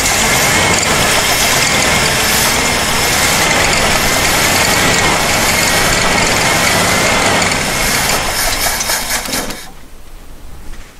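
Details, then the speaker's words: 1977 Jeep CJ-5 with its carb bowl flooded by hand: loud busy running for about nine seconds, then it dies. Owner suspects the fuel ran out and tank pressure can't lift the float needle to refill the carb; the accelerator pump is also leaking. "so more likely we ran all that fuel out of there and the pressure of the tanks not enough to lift the needle in there and refill the car plus it's starting to leak at accelerator pump too"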